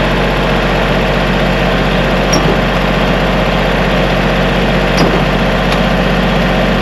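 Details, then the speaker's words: Kubota diesel tractor idling after a no-start was fixed: even, steady idle with no misses, knocks or hunting. An E93 code remains, left running to see if it clears. "We'll let that run for a little bit. See if the code clears on its own."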